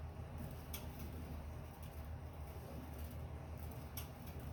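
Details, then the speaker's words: Sunny Cardio Climber SF-E3911 stair climber: sharp clicks about once a second over a low rumble, heard only with weight on the pedals, not when spun freely; owner suspects weight on the pin, clicking from the dry roller rail under load. "Well, it would seem to me that it's got to have something to do with putting weight on this pin when I'm standing on it, because I don't hear the clicking if I just freely spin it. I only hear it when I'm stan"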